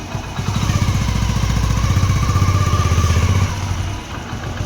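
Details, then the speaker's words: Hero HF Deluxe idling after primary gear replacement cured a whining noise: single-cylinder thump about four a second, no gear whine; runs clean and healthy. "दोस्तों आप देख सकते हैं इसमें अब कोई भी आवाज नहीं है जो प्राइमरी गियर की आवाज थी वो बिल्कुल सेट हो गई है इसकी खत्म हो गई है"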